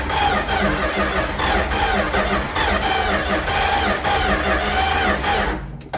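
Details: 1967-70 Dodge A108 van, 318 V8, three-on-the-tree manual, spark plugs back in: steady starter churn about two and a half turns a second with no firing, as the ignition coil was left disconnected; crank no start.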